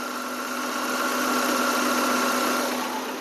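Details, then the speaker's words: Maruti Eeco petrol, AC not working due to compressor relay fault, compressor clutch fed direct supply to engage: even idle with steady mid-pitched hum, slightly loaded as AC compressor engages; normal. "இத direct பண்ணிட்டா நம்மளுக்கு ஆட்டோமேட்டிக்கா AC clutch அந்த mechanical clutch engage ஆகி AC load ஆகி ஓடும். இப்ப உங்களுக்கு பார்க்க முடியும். ஏசி வந்து என்கேஜ் ஆகி வரும்."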